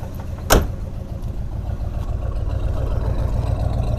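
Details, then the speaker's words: 1972 Buick GS Stage 1 Suncoupe V8 at idle, earlier dead miss at and just above idle, plug wires checked; door thud then deep even rumble, no misses or knocks; healthy exhaust note. "exhaust note sounds good still a lot of work to do on this thing"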